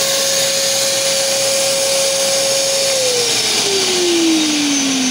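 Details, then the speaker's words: Kärcher NT3000 wet-and-dry vacuum after repair of a deafening motor noise: smooth, even high whine holds steady, then pitch glides down as the motor slows; motor now runs clean, normal running. "agora é hora da verdade até o som muda cara"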